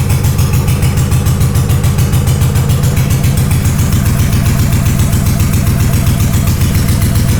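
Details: Honda GL500 twin, not started in over a decade, first start after a wiring loom rebuild with old oil inside: a loud, rapid, slightly uneven pulsing idle on full choke, cause unconfirmed. Rough idle.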